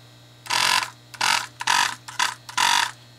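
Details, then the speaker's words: S-933A desoldering station after replacing a shorted triac, with the tip heating to almost 400 degrees; vacuum pump makes uneven hissy bursts about once a second over a faint mains hum, sounding like it's straining; owner unsure why. "it's sounds something um like it's fighting it a little bit i'm not sure"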